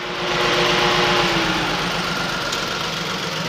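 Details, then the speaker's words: Datsun Go 3-cylinder petrol engine running rough at idle, worse with AC on: uneven, lumpy shaking beat about four per second from a misfiring cylinder, cylinder not yet identified. "कितनी बुरी तरह ये धड़धड़ा रहा है। अब हमें सबसे पहले ये ध्यान से देखना है कि ये कंफर्म करना है मिस फायरिंग हो कौन से सिलेंडर में हो रही है।"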